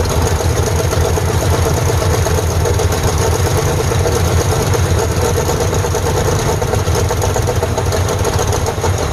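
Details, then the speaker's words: 1948 Ford F5 bus abandoned 25 years, just started: loud low rumble with uneven, lumpy beat and no settled idle; owner says it needs a tune-up, carburetor rebuild and throttle linkage hooked up, cause not confirmed. Rough running. "Woo! It's running. All right, guys, that's running in my eyes. Of course, we're gonna need to do a tune-up on it, rebuild that carburetor, get the linkages and throttle linkage hooked up."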